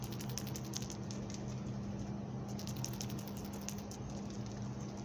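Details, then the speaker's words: New PCV valve for Suzuki Esteem/Baleno shaken by hand: quick, light, dry rattle shows the internal spring-loaded valve is loose and moving freely, not stuck; old valves clog and stick from hot sticky gases. "Ella suena libre. Y la válvula que tiene interna está suelta, está funcionando."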